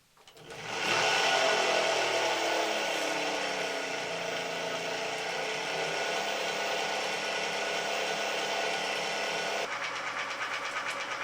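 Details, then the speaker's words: Puch Dance e-bike (2018), Bafang BF FM G32.250.R-C hub motor after replacing broken nylon planetary gears, wheel spinning unloaded: steady even whirr with a light rattle that only appears unloaded, not when cycling; motor now healthy, normal running. "you hear a small rattle that is because it is now unloaded you don't hear that rattle when you are cycling and the great thing is this is now suddenly good"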